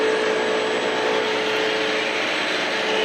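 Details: Taco boiler circulating pump on a six-floor building's water-source heat pump system, motor recently greased and fan-cooled: steady rushing hum with a thin constant whine; worn pump bearings, expected to fail soon.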